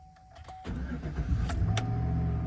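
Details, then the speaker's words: 2011 Chevy Silverado 5.3L with DOD, 72,000 miles, P0307 cylinder 7 misfire: after replacing the cylinder 7 spark plug, codes not cleared, the engine cranks briefly, catches and settles into a smooth, even idle with no vibration; normal start. "All right, smooth. So far, so good. No weird vibrations or nothing."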